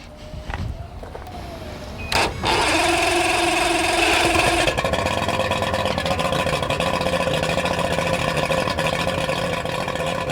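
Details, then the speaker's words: Used outboard/inboard boat engine on water hookup during a pre-purchase check: cranks briefly, catches, settles into a smooth, steady idle around 1,000 RPM with no metal sounds, rattling or shaking. "We're listening for any metal sounds. We want to check the idle quality, make sure idle's around 1,000 RPMs. We don't want to hear any rattling or shaking. This one sounds good."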